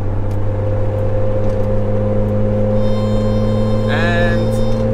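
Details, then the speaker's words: Jeep TJ at highway speed with a steady low hum and thin high whistle from air over the roof/windshield-mounted light bar, louder with speed, gone when slowing; a fix was later found. "so i can't actually drop it into neutral right now because if i slow down the noise goes away but the faster i go the louder it gets"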